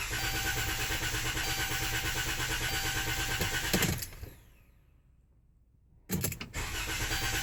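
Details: Chrysler Town & Country van hard to start after the dealer worked on something else: long labored cranking at about three pulses a second, a pause, then another crank attempt as the engine struggles to catch; extended cranking.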